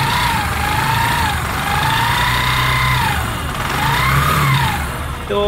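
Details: Used Bajaj Discover 100 motorcycle revved up and down shows hollow clattering under acceleration and runs overly hot; the tappet cover was opened and the adjustment found far too tight and hot. Timing chain noise.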